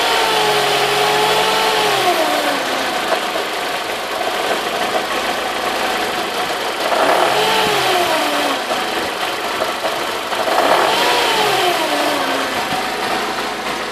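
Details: Mercedes W202 C180 petrol engine revving in bursts with a busy rattling clatter rising and falling with speed; timing chain noise suspected, unconfirmed.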